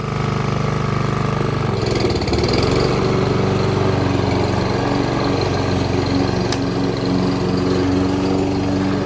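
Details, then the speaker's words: Toro Super Recycler SR4 mower after a blade clutch repair: a steady, even engine note holding speed through the cut with no surging or dropouts. "All right, sounds a lot better. I'm going to take it out and do a quick test."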